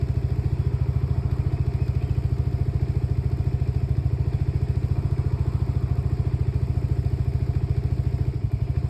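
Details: Lexmoto Nexus 125cc single-cylinder motorcycle at idle: low thumping near 170 beats a minute, mostly even but with soft, uneven beats. Diagnostics show faulty fuel-air mixture readings and a misfire count; misfire.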